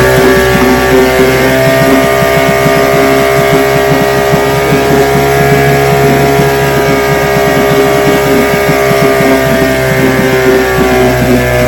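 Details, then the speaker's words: Restored then repaired vintage outboard, day four test, started at full throttle after priming: crisp steady two-stroke buzz at even speed, no stumbles or misfires; running clean. "Man, that's a beautiful sound."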